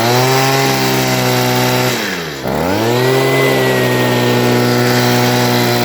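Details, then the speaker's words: Stihl two-stroke leaf blower (previously wouldn't rev up) at full throttle after cleaning the clogged spark arrestor screen: loud, high, steady buzz dips briefly then holds full revs cleanly; runs better than before, owner thinks slightly rich. "all right well it definitely works better than what it did before uh it sounds like it might be running just a tad rich but that'll be a video for another day"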